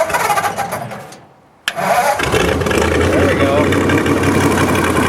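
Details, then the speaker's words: Old car with Model A spring and 1940 Ford rear axle, four-cylinder, started via ignition on, choke pulled and starter button: sharp starter kick then catches right away into a steady, even run; normal start. "you have to unlock that turn the ignition on pull the choke out and over here is a starter button press the starter button once more"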